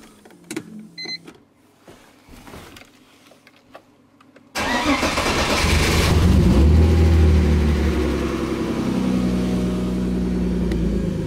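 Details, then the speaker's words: BMW E30 after freeing a stuck injector, fitting new NGK spark plugs and new coil boots: starter whirs, engine catches at once and settles into a smooth, quiet, even idle on all cylinders; normal idle. "Шепчет. Все, теперь слышно, что работает тихо, работают все горшки."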